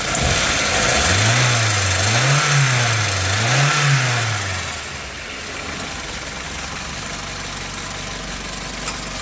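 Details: Nissan Primera P10 1.6L GA16DS 97hp carbureted engine, warm: three clean throttle blips that rise and fall smoothly, then it settles to a quiet, even idle. Its cold-start stalling was traced to a damaged valve, not the autochoke. Normal revving.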